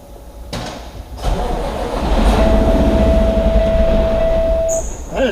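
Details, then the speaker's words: Cummins X-15 diesel truck engine at service, fired up to build air pressure: as it settles, a thin steady whistle rises over the rumble for a couple of seconds, cause unknown. "That is not good. I don't know why it's doing that."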